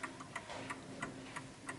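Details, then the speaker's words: 1950s Smiths Enfield striking mechanical mantel clock ticking in beat again after adjusting its center of gravity for the surface, having previously stopped; crisp even ticks about three a second. "there you go now it's sticking away quite nicely"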